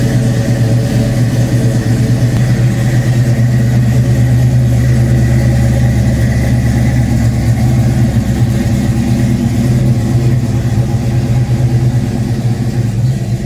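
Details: Fox Body Mustang 351W stroked to 358, Comp XE276HR-12 cam, Edelbrock Street heads, ported Cobra intake, 30 lb injectors, 75mm MAF, shorty headers, Flowmaster exhaust, about 20° base timing: deep choppy idle with uneven lope about every half second; owner suspects running rich.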